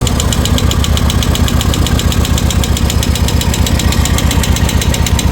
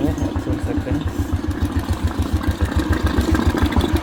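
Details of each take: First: Royal Enfield Classic at idle: sharp even tik-tik about four per second over a steady thumping idle; hydraulic lifter problem and excessive valve play, guides to be changed, piston also badly worn. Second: Royal Enfield Classic after a top-end rebuild for tick-tick sound: hydraulic tappet, piston rings and valve guides replaced; starts first try, even, steady single-cylinder thump at idle, about 3.5 beats per second, no ticking.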